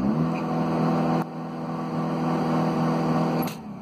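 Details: Chrysler Grand Voyager 2.8 CRD diesel in Drive with pedal floored, after injector leak-off test: engine drone holds one steady pitch, never climbing past about 2000 rpm; rev limiting suspected, cause unclear. Revs capped at about 2000 rpm.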